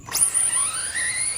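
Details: RC Street Eliminator drag car on a prepped track, tires pulled into the grip after a burnout: a high thin squeal jumps in and holds steady with rising tones beneath; the tires are hooking up and ready.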